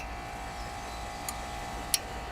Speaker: see it's loose it's clicking against that coil and this one's doing the same thing this one in this one so we have some loose magnets in there and as you rotate it around it's uh it's bumping up against the coil and making that clicki